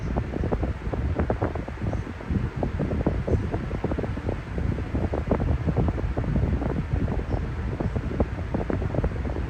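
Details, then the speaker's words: Discontinued Air King (ex-Lasco Whirlwind) fan: uneven whooshing with rough gusting pulses over a low drone, airflow somewhat restricted though still moving much air; wasn't like that when new, cause unclear, maybe from sitting out in the cold. "Even though this thing is air restricted somewhat, I'm surprised that it's still moving that much air, even though it's air restricted by a little."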